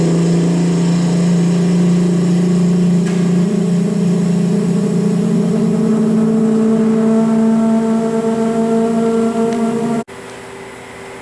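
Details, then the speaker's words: March Instruments PX-500 plasma etcher, scroll pump starting to evacuate the chamber before an argon plasma program: a steady, fairly loud layered hum; pump is a little noisy at startup but expected to quiet. Normal startup. "You hear the scroll pump's a little noisy to start, but that'll quiet"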